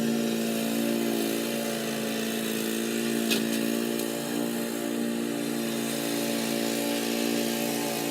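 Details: Old Murray riding mower with a 12 hp Briggs & Stratton engine, mowing in 30–33 degree heat: steady, even single-cylinder buzzing drone under cutting load, with no misses or knocks; normal healthy running under load.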